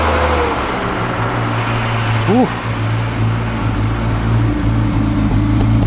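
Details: Classic Mini Clubman campervan, first running after pressurising the fuel tank by blowing into it so the pump could draw fuel: steady low idle, slightly lumpy, no taps, knocks or bangs; mechanically sweet.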